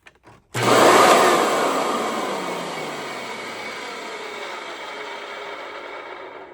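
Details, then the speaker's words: Hoover WindTunnel bypass vacuum motor, run with no restriction after clearing the airway: it spins up with a harsh, gritty roar and rough whine, then winds down unevenly, pointing to worn motor bearings and commutator. "I'm going to say no. This motor is done. There's no saving that."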